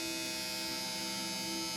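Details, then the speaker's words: Nyko intercooler add-on cooling fan on a PS4, about a month old, makes a steady high-pitched buzzy whir with a rough scratchy grinding edge when started after sitting 12–20 hours; tapping sometimes helps. Owner suspects a defective unit. "this thing makes crazy noises after it's been sitting after 20 12 hours or whatever"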